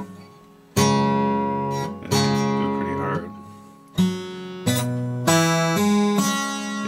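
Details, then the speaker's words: Breedlove Premier 12-string acoustic guitar tuned down to open C#, 1.5 steps below standard: strummed chords with a buzzy rattle on the sixth-string pair, worse on upstrokes; the slack strings flap, and returning to standard tuning cured it. "well the owner brought it in because the six string so the harmonic and sixth string they Rattle and Buzz [Music] especially when you're on the upstroke"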